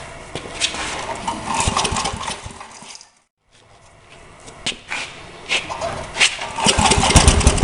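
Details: John Deere/Briggs & Stratton 4,000-watt generator after ignition magneto coil repair: small single-cylinder engine catches on choke and settles into a loud but steady run with uneven bursts; running properly, though the outlets still give no voltage from a failed GFCI receptacle.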